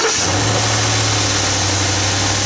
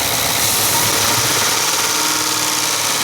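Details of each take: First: 2017 Ford F-150 5.0L Coyote V8, just started cold: steady even high idle with a smooth low hum and no ticking or rattle; owner's tick only appears around 1400–1500 rpm and up, idle is fine; healthy cold fast idle. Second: 2017 Ford F-150 5.0L Coyote V8, cold start then raised idle around 1500 rpm: sharp rapid clacking loudest at rear of intake manifold, not elsewhere; loose intake manifold runner control actuator rattling, though a shop had claimed it needed a new engine.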